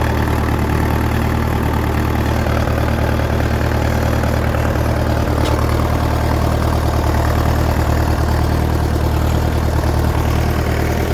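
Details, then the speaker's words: 1959 Fordson Power Major tractor with fully reconditioned engine, just after a cold start: deep even diesel idle beating about three per second, no knocks or misfires; it usually starts well and runs healthy. "It usually starts quite well, this thing, but that's because everything's been reconditioned in the engine, so she's a pretty good runner."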